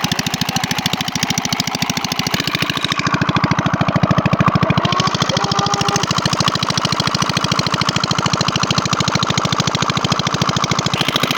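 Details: Irrigation pump engine watering a rice field, finally started after an hour of failed attempts: steady, even diesel chug at about 160 beats a minute with no misses or knocks; running normally.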